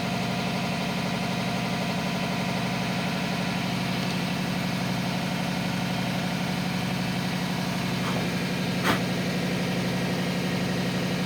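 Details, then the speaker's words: Vintage Datsun 280Z six-cylinder petrol engine idling with an uneven, loping misfire beat; compression test shows a severe leak, and the exhaust valve is seriously compromised and won't seal, requiring cylinder head removal. "that exhaust valve is seriously compromised"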